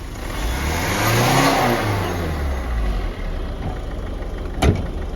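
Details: Ford EcoSport after a full engine overhaul for oil consumption: the engine climbs smoothly through a rev and settles back with an even tone and no knocks or rattles. Normal revving.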